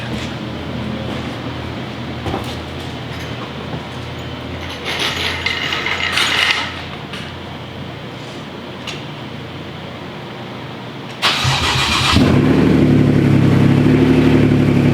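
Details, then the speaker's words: Wrecked Porsche Cayman after new transmission installed: quiet, then engine fires cleanly and settles into a loud, even idle with steady beat and no misses; normal start and idle, engine sounds good. "the engine sounds good so that's that's amazing that's really good that's a good sign"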